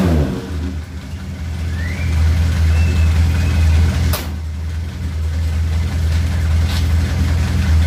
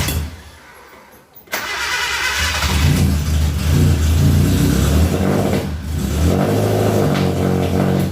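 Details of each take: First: Suzuki Katana after ignition points were set and the distributor turned counterclockwise, having been very hard to start before: it catches almost instantly and settles into a firm, steady beat that picks up cleanly; timing now right, starting and running normally. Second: Suzuki Katana carbureted engine right after the contact points were set: brief cranking, then a rough, uneven idle, hard starting and no power; ignition timing must be adjusted by turning the distributor.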